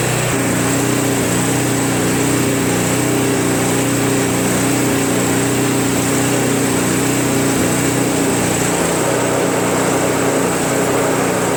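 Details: Craftsman Trac Plus 23-inch dual-stage snowblower, 5 HP Tecumseh, cold start after a year stored without stabilizer, fresh gas, full choke: steady even high-pitched drone without stumbling or surging; idles cleanly, normal.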